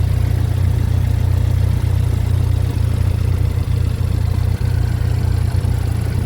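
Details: Chevy Equinox just started after engine replacement, burning off oil. Deep, even idle rumble with steady beat and no knocks, ticks or misses; idles smoothly and healthy.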